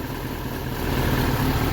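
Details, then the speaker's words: Ford Sierra/Transit 2.0 SOHC Pinto, Weber 30/34 carb, idling while warming up after coolant temperature sensor change: low deep drone with slightly uneven pulses; still rough, sensor change apparently hasn't solved it, another sensor suspected. "so that is running really rough um about the same so in my case that hasn't solved the problem I don't think"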